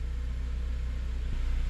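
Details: 2006 Honda Element K24 after fixing the cylinder 1 injector misfire (P0301): smooth, even low idle rumble with steady pulses and no stumbles. Scanner shows zero misfires; normal idle.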